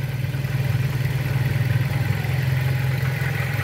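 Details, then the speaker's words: Pointer 1.8 engine that idled shakily: after bridging two terminals with a jumper wire to stand in for a missing part, the idle settles to a low, even thrum with no stumbling; the shaking is gone. "Hay mejora bastante, hasta se oye el motor cómo se estabiliza."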